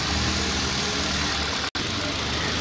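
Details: Hyundai i20 Sportz with engine vibration and a tak noise when shifting into gear. Smooth, steady idle with an even low hum and no knocks or clunks; engine sounds healthy.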